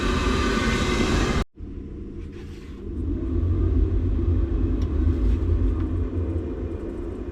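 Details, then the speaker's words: Boiler with E125 poor-circulation and E131 faults: deep uneven rumbling churn while circulating, seeming to come from the heat exchanger; circulation issue, suspected blockage in the main heat exchanger, pump doubted. "Just doesn't sound too healthy, does it? Actually sounds like it's coming from the heat exchanger."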